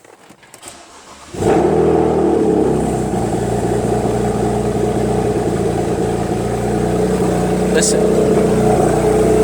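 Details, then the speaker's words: BMW 335i just started from inside: slightly uneven idle with a faint stumble, owner suspects misfire; charging malfunction warning appeared and a ticking started. "it sounds like a bit of a misfire and now this this came up it said charging malfunction"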